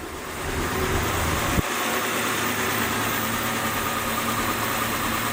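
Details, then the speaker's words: 1967 Dodge Dart 270 on a shakedown drive with a known hesitation; petrol engine idles unevenly and shakes a bit, a cylinder occasionally dropping out: intermittent misfire. "hear the misfire every now and then and it's kind of shaking a bit they don't want that come on back and we'll listen to this hear how cylinders dropping every now and then we don't want that either"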